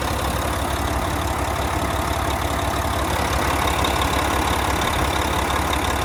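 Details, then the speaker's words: 2014 Volvo VNL day cab with a D13 diesel and 13-speed manual, 600-something miles, oil filler cap off. Steady, even diesel clatter at idle with constant rhythm, no stumbles or knocks; normal healthy idle. "I'm gonna take the oil filler cap off. I'll let you have a listen to the engine running."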